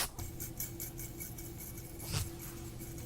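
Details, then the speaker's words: 1924 Longines pocket watch, 15-jewel caliber 18.50, balance fitted early in reassembly: fast jingling chatter on each beat like sleigh bells from the hairspring rubbing, probably explaining the snowstorm-like Timegrapher reading. "That's the sound of the hairspring making all kinds of noises. This is probably the sounds being heard at the start and why the Timegrapher reading looked like a snowstorm."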